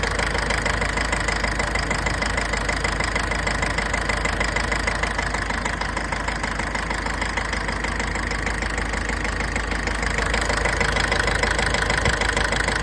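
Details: Mitsubishi L200 4D56 diesel idling with a sharp, regular clatter about three knocks per second; injector nozzle problem attributed to not changing the fuel filter and poor fuel.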